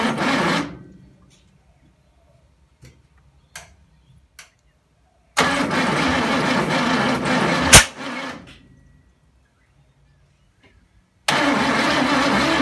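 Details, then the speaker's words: 1974 Ford ZG Fairlane, first attempts to fire the old engine: bursts of cranking catch with ragged firing and a sharp pop, then die each time; has spark but backfires through the carburetor; vacuum leaks or wrong firing order suspected. "we're getting just backfiring through the carbie and i thought it might be just some um vacuum issues"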